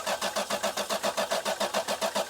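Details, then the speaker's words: Lexus LS 430 crank-no-start: steady cranking at about six compression pulses a second, spinning evenly but never catching. There is no spark from the four-wire ignition coil, and the battery is getting weak. "All right. The battery is starting to get weak, too. But there is no spark jumping out of the coil. Okay, there's no spark jumping out of the coil."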